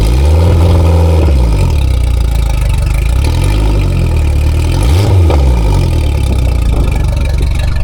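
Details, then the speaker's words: Race boat engine after repairing a low system voltage ignition wiring fault: deep strong engine picks up cleanly on several throttle blips and drops back evenly, no stumbling; repair successful. "Sounds good. Another successful repair."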